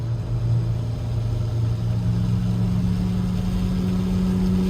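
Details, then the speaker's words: 2009 Nissan Altima on the highway at about 70 mph: a loud, steady low drone from a bad wheel bearing. "If you guys can hear that loud noise right there, that's a wheel bearing."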